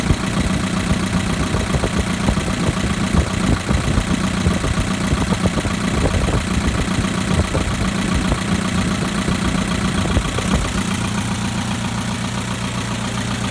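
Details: 2011 Chevrolet Equinox LT, 2.4L, 132,000 miles: light, quick ticking keeps pace with a steady idle over the engine hum; top-end tick at idle, cause not pinned down.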